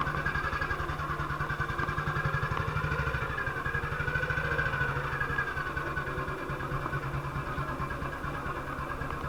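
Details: 1958 BSA C12 single-cylinder on a road test after a misfire fix; the misfire had earlier caused a breakdown, and the battery tested fine at 6.3 V. Steady, even thump at fast idle with no skips or stumbles, firing cleanly. Sounds like it used to: normal running.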